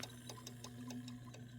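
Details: Sega CD Model 1 disc drive with a blown driver board after a cap kit, which detects whether a disc is present: quiet hum with sharp ticks about every fifth of a second. The drive keeps seeking and won't read.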